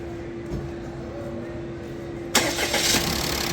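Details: Toyota Passo after repair of slow, noisy starting (codes P0335/P1604): slipping starter gear, non-original spark plugs and low fuel pressure fixed. A faint hum, then it starts almost at once and runs evenly.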